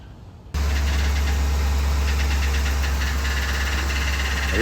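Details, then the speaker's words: Chevy Silverado, 6.0 L V8, started and idling: a light, fast ticking or tapping over the low rumble, heard before an engine flush treatment. Owner suspects lifters gunked up from infrequent oil changes. "lately I've been experiencing a ticking noise or clicking noise or tapping noise she got a 6.0 engine"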